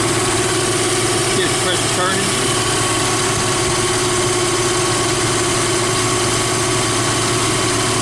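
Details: Jeep Wrangler YJ without AC, after installing an engine-driven onboard air compressor with an added idler pulley and new serpentine belt. Compressor on, filling from 0 psi and cutting out at 125. Steady idle with constant pump hum and no belt squeal: normal operation.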